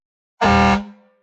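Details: Dodge Ram air horn after the failed horn solenoid was replaced, fed by an onboard compressor through a regulator set to 90–100 psi: one strong, clean blast of about a third of a second with a steady low tone. Normal air horn.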